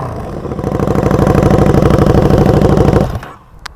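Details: KTM 1290 Super Duke R, recorded close up: deep, evenly pulsing exhaust beat rises with the revs, then drops off cleanly to quiet; engine running strong and healthy.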